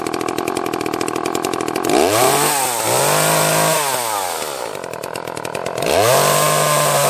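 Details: Echo CS-330T top-handle chainsaw: revs climb, then sag and bog as if about to quit, then pick up again; the carburetor is starving for fuel, caused by a misfitted gasket.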